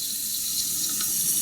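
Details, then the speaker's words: Glacier Bay dual-flush toilet, fill valve about 10 years old: constant high hiss of trickling water that never shuts off; fill valve rubber gasket no longer holds so water runs all the time. "which means there is a running water all the time and there's a rubber gasket that doesn't hold."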